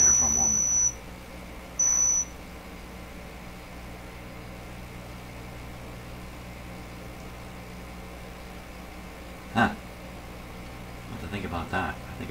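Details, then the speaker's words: Deforest 10DA517 AM tube radio with glass tubes instead of specified metal ones: piercing high squeals cut in and out over hiss while touching/tuning with shield off; poor tube pin contact suspected. "try tuning the [Laughter] radio wow that's screaming out to put a shield back on me"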